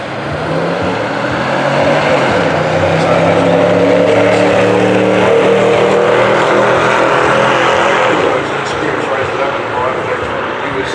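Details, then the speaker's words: Old V8 drag car at Santa Pod National Finals 2024, round one, transmission overheated: loud V8 pulls hard, then the revs hang and bounce like hitting a rev limiter instead of shifting; overheat protection blocks the 1-2 upshift. "now if you listen close ly to the gears changing in the revs you will notice that going from first to second it sounds like it's bouncing off a rev limiter"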